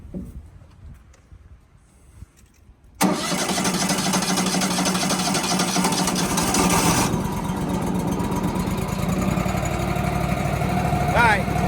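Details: Wood-Mizer LT35HD sawmill engine after a no-start with clicking (suspected fuel solenoid) and a blown fuse in the control panel, now jumpered: quiet, then catches at once and settles into a steady, even idle; normal start.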